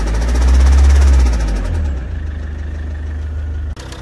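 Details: Petrol engine idling roughly with a heavy, deep knock pulsing under the low rumble; owner reports sudden noise and strong shaking on acceleration, later a bad smell from the rear, and all four injectors tested fine. Cause unconfirmed.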